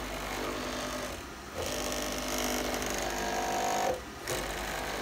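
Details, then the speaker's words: JMC iHSV57 100 W servo on a Taig lead-screw CNC mill, 48 V supply, 32,000 pulses per inch, 150 IPM traverse, 22 in/s² acceleration: a smooth, steady whirring rush with quiet stops and no power-supply clicking, so normal rapid traverse. "so here's you see CNC I'm set at 32,000 pulsar's per inch 150 inches per minute and acceleration 22 inches per second per second so look at let's go it's crazy fast"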